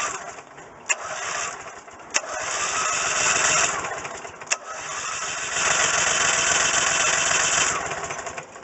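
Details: Rebuilt Briggs & Stratton engine on a Coleman Vantage 7000 generator, after key-switch wiring corrected: cranks, catches and runs in uneven surging bursts for a few seconds; starts fine but short of fuel.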